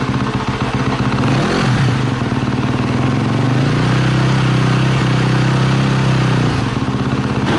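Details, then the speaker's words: KTM 250 SX-F four-stroke dirt bike, first start after sitting a year, battery reinstalled: loud, crisp exhaust blips then a steady high idle with no rattles or misfires; engine runs normally. "as you can see it works everything's good so I warmed it up for about five minutes"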